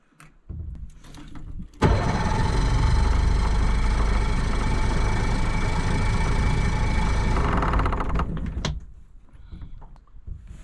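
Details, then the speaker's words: Outboard on a $700 auction boat, primed and on the water at the lake: a short crank, then it catches, runs roughly and stalls; fuel is coming out the exhaust, and the owner is pretty sure it's flooded. "Pretty sure it's flooded. I got fuel coming out the exhaust here."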